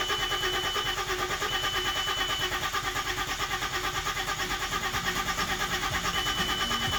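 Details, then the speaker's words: VW Passat wagon crank no-start with no fault codes: steady starter cranking about three turns per second, a couple of sputters but no catch. "The engine will crank, have a couple sputters, but will not start."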